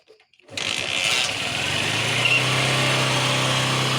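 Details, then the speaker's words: Honda Shine SP BS4 motorcycle that would not start. After repair it catches after a few cranks with choke applied and settles into a steady, even idle with no knocking or stumbling. The bike needs choke until it warms up. "जो है व गाड़ी की problem को तो solve हमने कर दिया है"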